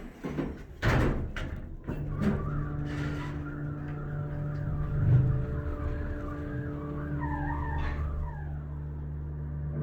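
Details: 1970s Dover hydraulic elevator, described as low on oil: a steady low motor hum runs throughout while a wavering high squeak comes and goes as the car travels, and the motor stays on when the door opens.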